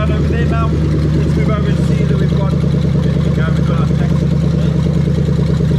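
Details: 1998-2000 Lexus LS400 1UZ-FE VVT-i V8 on a standalone manual-conversion harness, warmed up: strong, steady drone with a slight lumpy pulse about three times a second; engine pulls evenly and sounds healthy.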